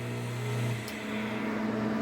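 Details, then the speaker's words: Peripheral water pump motor with defective start capacitor: steady low mains hum with no rise in speed, motor stays stalled and has to be started by turning the blade by hand. "When you turn it on, this happens and it stays stuck. And you have to put it to work through the blade"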